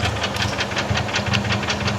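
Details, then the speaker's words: 1996 Toyota Corolla Gambler 500 car at idle: fast regular light tapping about eight per second, present since purchase; not rod knock, since rod bearings checked good and were replaced, valve clearance checked; top-end tick, cause undetermined. "yeah just a odd tapping noise doesn't quite sound like rod knock but I didn't really know what else to look for"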